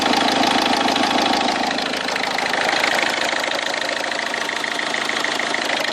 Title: Bruit moteur